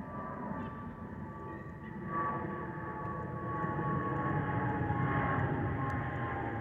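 Steady thin whistle at a fixed pitch over the even cabin roar in cruise; the normal fuel overpressure protector whistle of this type.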